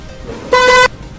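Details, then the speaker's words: Horn after being opened and its tone screw adjusted: short, loud, steady honk with clean clear pitch and no buzz or rattle; normal, properly tuned horn tone. "कि अब इस प्रकार की जो side है बहुत ही पंछी sound है इससे ज्यादा पंछी साउंड नहीं निकाल पाएगा"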